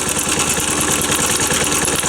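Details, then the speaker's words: Postie bike (single-cylinder) at idle before valve clearance adjustment: fast, lumpy idle with a thin, high squeak over every firing pulse; source not located, valve clearance suspected. "So you can hear that real squeaky noise."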